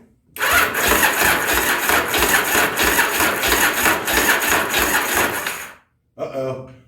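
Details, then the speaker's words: 1983 Yamaha Virago 920 barn find, first start attempt after long storage: uneven starter churning with heavy clunks about every 1.5 s, engine never catches; mechanical clunk while cranking, no start. Battery possibly weak; cause not confirmed. "I don't feel so lucky I think I heard something that didn't sound good at all did you hear that that's all right we'll keep trying yeah didn't like the sound of that"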